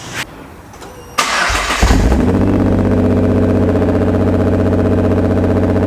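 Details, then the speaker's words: 2010 Nissan GTR (R35) first start after about 7 months stored: cranks, catches with a surge, then lumpy uneven loping idle with black smoke and many cluster errors; VCP (cam timing) not advancing. "So those of you who have been around GTRs quite a bit know that they're probably not supposed to sound like that."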